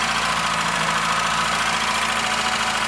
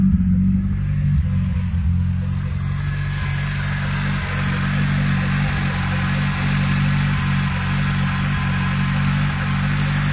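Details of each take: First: VW Golf 2 1.8 90 hp (GU engine), started and idling: a fast, light clacking from the top end that stays even after hours of driving, not only after sitting. The hydraulic lifters are dead and need replacing. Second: VW Golf 2 1.8 90 hp (GU engine) restarted after replacing hydraulic lifters (tappets): smooth, steady idle, the lifter clatter gone and the lifters primed quickly; camshaft and timing refitted correctly.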